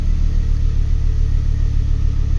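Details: Ford Focus ST turbo petrol after repair of a P0238 boost pressure fault (no boost): steady even engine note with smooth low rumble, no knocks or misses; boost reading sensible, running normally.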